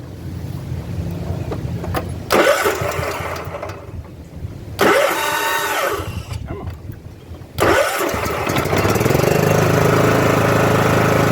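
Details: John Deere riding mower after new fuel pump and replaced leaking fuel line: two short cranks sputter and die, then the third catches and settles into a steady, even idle; starts properly.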